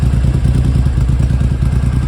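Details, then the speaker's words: Restored Triumph Hurricane X75 triple at tickover, throttle sticking slightly: low uneven, stumbling beat, one pulse lighter; rough idle, right-hand cylinder appears weak, cause not yet confirmed. "it is a bit rough on tick over not the worst I've ever encountered"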